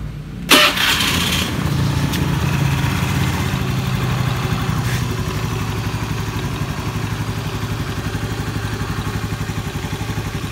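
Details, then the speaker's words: Scooter CVT after pulley bearing service and greasing, previously creaking under throttle: starts and idles steadily with a short rev, running smoothly. "Nah, sudah halus."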